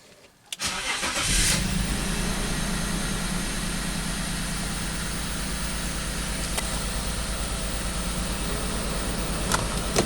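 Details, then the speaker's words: BMW X5 just after a cold start, codes cleared, computer had been deactivating injectors: idle settles into an uneven, stumbling beat with a recurring skip; misfire still present, cause not confirmed. "better I can still feel misfire not as bad as it was a little bit smaller but still still misfires"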